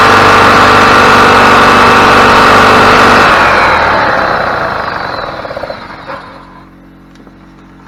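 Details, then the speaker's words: 2003 EZGO TXT gas golf cart, whose complaint was a solenoid that clicks but won't start, with a customer-fitted Amazon starter that didn't fix it; after repair it fires right up and holds a strong, even drone; normal running. "all right looks good to me guys sounds good running good firing right up it's hard to beat that"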